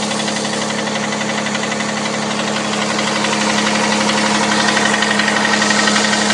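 Steady, evenly spaced metallic tapping, about three per second, riding over a constant idle hum; a clear knock inside the engine, cause unknown.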